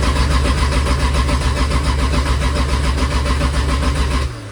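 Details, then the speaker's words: Toyota 2JZ turbo engine on first start attempt: steady rhythmic starter cranking that never catches. There is no fuel pressure and the injectors are not firing, although oil and fuel pressure had built earlier; the fuel pump was later jumped. "we have no fuel pressure no fuel pressure no yeah see if it goes up"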